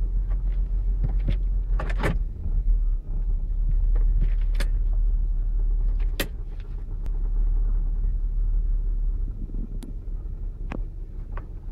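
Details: 2008 Saturn Outlook, cold start in open loop: deep uneven idle rumble broken by irregular sharp pops and stumbles; owner suspects commanded air/fuel ratio dips, possibly a computer glitch.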